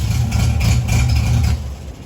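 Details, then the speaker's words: 1967 Triumph Spitfire Mk II after fuel pump fix and carburetor tuning: a smooth, even, low idle at about 800 rpm with no stumble or misfire, the carbs sounding balanced. The car, which previously would not start, now runs healthy. Normal idle. "We started with the car not starting, and now it starts and idles at right around 800."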